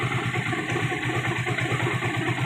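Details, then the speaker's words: Hero Glamour single-cylinder motorcycle, engine previously rebuilt by another mechanic: rapid, even clatter over idle appearing when the clutch lever is released; mechanic suspects a clutch-side bearing problem. "Clutch का bearing problem हो सकता है मुझे जहां तक ग रहा है क्लच के अंदर कुछ प्रॉब्लम है"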